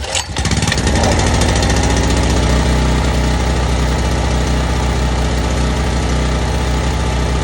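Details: Sportsman 4000 dual-fuel gas/propane generator, started on full choke after checking oil and turning the run switch on: a pull, quick catch, then even, steady single-cylinder drone that holds without missing; running fine.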